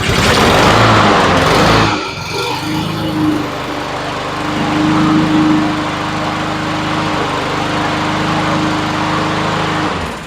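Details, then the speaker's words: Honda push mower small four-stroke that wouldn't start, after cleaning carburetor jets and checking the float: after a rough start it settles into a steady, even drone with no surging or stumbling; normal running. "you and she sounds pretty good the only thing we did was cleaned up the Jets and made sure the float was good"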